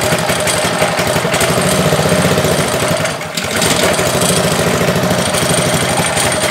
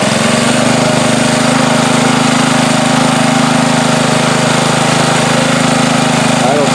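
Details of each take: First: Ryobi pressure washer with Honda engine, about a year old, no-start after off-season (suspected carburetor gummed by old ethanol fuel): after starting, uneven beat with a brief sag, runs a little rough at first, cause unclear. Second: Ryobi pressure washer with Honda engine after off-season no-start, carburetor cleaned, no parts: with water hooked up, steady even drone over pump hum, no surging; runs fine, maybe a crumb in the carburetor worked free.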